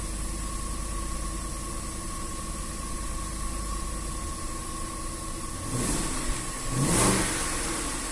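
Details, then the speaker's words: Range Rover 4.2 supercharged V8 (30 thousand mileage stated), cold start after repair for cold misfires and supercharger knock: smooth, steady idle around 900 rpm with a brief rev blip and no supercharger knock heard. "да нет нормально чего сижу вот оборота 900"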